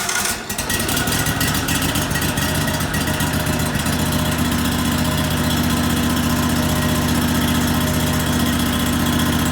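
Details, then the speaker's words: 1998 Craftsman GT tractor, Kohler CV25S 24 hp V-twin, after head gasket replacement: sharp start, then steady running with a slightly uneven, hunting pulse; it ran well briefly, then starved for gas; owner suspects dirt in the carburetor jet from tipping the carburetor. "well ran good for a little while but I started to starving for gas so I think when we had the carburetor tipped up there it must have got some dirt in the jet or something there"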